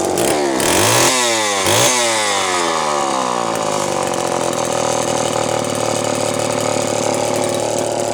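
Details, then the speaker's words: Terry-built Homelite two-stroke chainsaw from Canada, choke just removed, throttle lock broken, good compression: blips up and down then settles to a steady high idle with uneven burbling note; running rich, oil pump check and tuning pending. "well she is running rich I just want to see if this oil pump is working before calling at a night"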